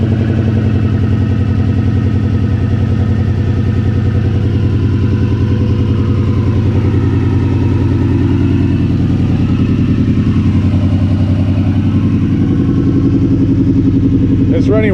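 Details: Turbo Subaru idling funny and misfiring, restarted after spark plug checks; lumpy, loping, stumbling idle; fuel and 1000cc injectors are wondered about, but the cause was a failed idle air control valve.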